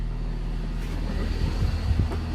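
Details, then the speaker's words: Vauxhall Astra H 1.6 replacement engine, first cold start after reconnecting everything and priming the fuel pump: starts, oil light goes out, steady smooth low rumble with no rattle or ticking, a few light bumps; expected smoke; healthy cold idle. "Whoa, and it started, and the oil light's gone out. And it sounds really sweet."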